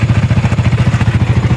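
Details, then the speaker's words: Yamaha Sniper 155 VVA motorcycle at idle: fast, even ticking clatter of about fifteen hits a second from the cylinder head. Mechanic suspects low oil supply up top; tensioner was previously adjusted. "So maingay 'yung kanyang sniper 155. So ito yung iche-check natin mamaya sa shop at pakita ko sa inyo kung ano yung dahilan ng ingay ng kanyang makina."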